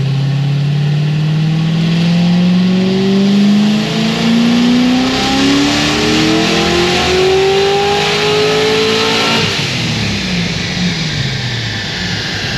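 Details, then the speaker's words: Supercharged LS7 final dyno pull: engine climbs smoothly under full load to 6850 rpm redline, no stutter or breakup (previously broke up around 6300–6400 rpm), then lifts off; healthy pull. "I'm gonna leave it there it's obviously not breaking up anymore it's pulling all the way to Red Line and that was 60 68.50 so this thing's good to go"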